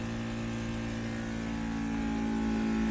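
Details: ST 1520 3D mini vacuum sublimation heat press, vacuum pump drawing down the mold cover for a 3-layer cup: steady motor hum, constant tone firming slightly as it draws down; running normally.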